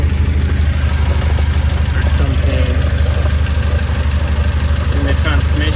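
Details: 1993 Nissan 240SX after a major overhaul, idling, heard from underneath: a dull, regular clunk about three times a second from the gearbox. Input shaft or countershaft bearings are suspected, and the transmission may be damaged.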